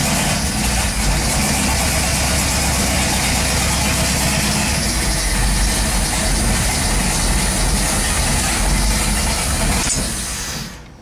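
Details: Turbo 5.2 V8-swapped Dodge Dakota with a new homemade turbo exhaust, no downpipe yet and untuned: loud, uneven running with an irregular lumpy pulse. It earlier kept cracking and popping; the owner suspects it is super lean, not confirmed.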